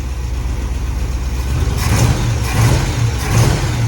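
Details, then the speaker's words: V8 in a 1950 GMC swapped onto an S10 frame, solid engine mounts, ignition timing not yet set, running a little hot with a goofy carburetor: deep, uneven exhaust thump with lumpy pulses as revs sag and climb; rough and lazy. "at least we can get our RPMs closed and it's going to feel a little rougher just because of solid mounts you know"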